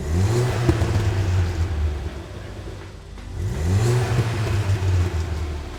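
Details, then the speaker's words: Ford Fiesta ST with Milltek cat-back, back-box delete replaced by a rear silencer, heard running: idle and throttle blips with deep, muted exhaust note and no boom or drone; previous drone gone. "so as you can hear the Drone from the exhaust is now gone inside the car it's a nicer place place to be and to be able to do long distances"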